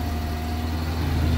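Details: Barn-find 1975 Vauxhall Viva project; engine catches and settles into a steady, even low idle with no knocks or misses; sounds healthy, normal idle.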